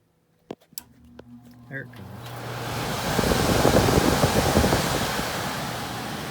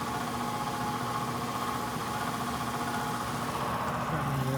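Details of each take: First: ICP/Heil heat pump air handler after the blower motor was replaced and the wheel cleaned, following a noise and no-heat call: a couple of relay clicks, then smooth steady rush of air with no rubbing or rattle; normal blower operation. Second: ICP/Heil heat pump air handler on a no-heat call, crusty, rusty blower motor that felt stiff, run to check amp draw: steady drone with hum and uneven rattly roughness; the failing blower motor was replaced.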